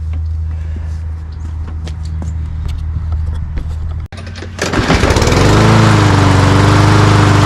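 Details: Toro Recycler walk-behind mower with Briggs & Stratton engine and plastic carburetor, which started on starting fluid then died, now after carburetor cleaning; pull start catches, revs, settles to steady even drone: normal running.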